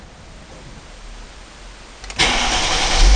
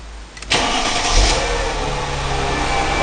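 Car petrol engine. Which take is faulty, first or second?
first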